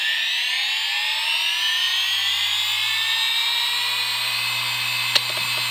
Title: IBM Deskstar 120GXP (Bad Bearings) 123.5GB IC35L120AVVA07-0 7200RPM Spinup/Spindown (UPDATED)